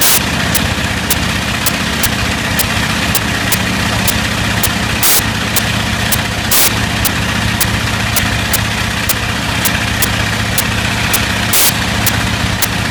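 Big radial running steady with a brief stumble every few seconds breaking the even beat, pointing to a slight intermittent misfire.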